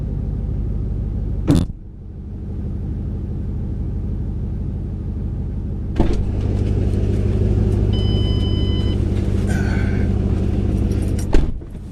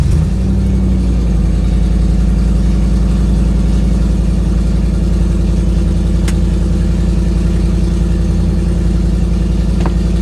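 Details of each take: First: 2008 Ford Mustang GT driving after installing an MSD Blaster coil-on-plug set (dealer found 5 bad coils causing misfire): steady, smooth low drone through gear changes with no stumbles. The misfire is gone. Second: 2008 Ford Mustang GT S197 V8 driving, before the coil-on-plug change: low, lumpy, uneven stumbling beat, a misfire after the dealer reported five bad ignition coils.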